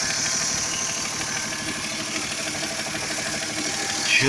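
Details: Toyota 2JZ-GE idling 300 km after rebuild with all connecting rod bearings replaced (Taiho): light uneven tapping over a hissy top end; a knock, source unknown.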